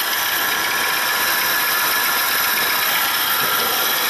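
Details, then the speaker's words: Honda engine running: a steady high whirring hiss like a floor polisher with an even pitch; a worn bearing is suspected as the source. "que barulho é esse aqui de enceradeira no Ronda olha"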